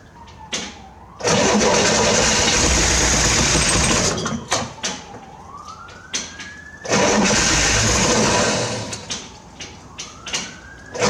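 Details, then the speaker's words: 1968 Corvair being revived after sitting, extra gas poured down the carbs, throttle opened a little: long cranking bursts catch a few ragged firings that die at once. It won't keep running; owner suspects the mechanical fuel pump can't pull fuel from the bucket. "So, I couldn't get it to run. I got it to crank. I got it to kind of bark off a couple times, but I wasn't able to get it to sustain sustainably run."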